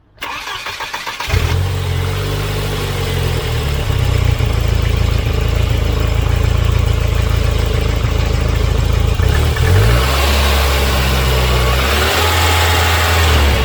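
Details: Volvo 940 Turbo after fitting a replacement fuel pressure regulator on the inlet manifold: cranks, catches quickly, idles a touch high at first from leftover fuel after running rich, then settles smooth and steady.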